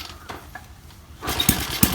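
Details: Rusted TVS Victor bike after fresh petrol and new spark plug, broken throttle cable, idle set via slow-running screw; a few cranking pops, catches at about 1.2 s into lively uneven cold firing; starts cleanly.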